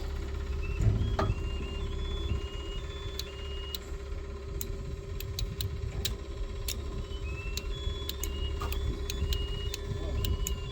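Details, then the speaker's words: SkyJack scissor lift that would not crank, running with a jumper wire in place of the fuse: steady low engine hum with repeated high beeps, thought to be a reverse or neutral warning alarm; fuse found to be the fault. "okay what's that noise oh it's in Reverse or neutral something like that"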